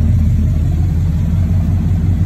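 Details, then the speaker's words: 1998 Chevrolet K1500 with 6-inch lift, after fixing AC compressor that only ran when wired direct: smooth steady V8 rumble, even firing, no ticking or knocking; AC blowing cold, compressor engaged and running normally. "it is blowing cold and as you can see right there the compressor is running it is running good doing what it's supposed to do"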